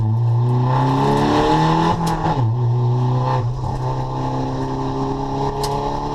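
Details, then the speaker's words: Nissan CA-engined drift car on track after a dyno retune (140 kW) and new fuel pump: revs climb and fall cleanly under hard load without stutter, engine running healthy to redline. "And as you can hear, the car sounds so much more happy with the uh with the new fuel pump and that retune. It was just on song."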